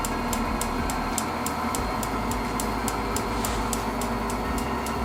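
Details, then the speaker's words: Propane heater modified with a fan dimmer and propane regulator, running and blowing warm air: sharp dry ticks about three a second over fan hiss, as the piezo igniter now sparks continuously. "you can still hear that clicking from the piezo but that piezo will be on all the time now"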